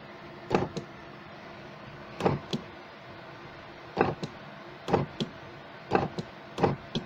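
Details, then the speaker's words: 2001 Alfa Romeo 156, nearside (left) rear power window switched at the door: short double clunks with each press, trying to work but glass stays put; power confirmed reaching it; offside rear dead; door card removed to investigate. "This is the one that clonks. You push the button on there. You can hear that."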